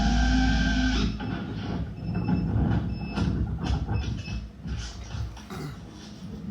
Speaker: my esc powered off because you can see when i start spinning you'll hear it beeping